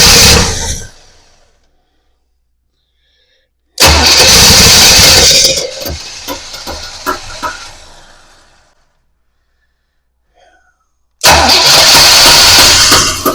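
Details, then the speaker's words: 1966 Pontiac Parisienne after Edelbrock 4-barrel carb and intake swap, new starter, battery, module and coil: three bursts of steady cranking, never catches, seemed a little flooded; no spark though it previously had spark; electrical fault. "we have spark. We've got no spark. And that's an issue cuz we did have it, but now it's gone."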